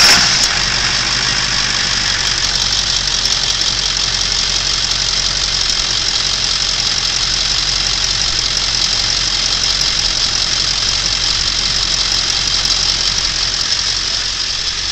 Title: Clicking noise in F-350